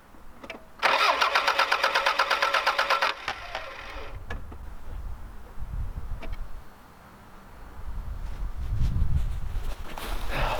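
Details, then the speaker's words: Vehicle with half-full tank of fuel from 2015, something sprayed in intake: starter churns at a steady fast beat for a few seconds but never catches; crank no start, owner suspects bad fuel, fuel pump not heard. "close doesn't quite want to fire off though the fact that the tank is half full and it's from 2015 makes me think think that there's a possibility the fuel might be bad"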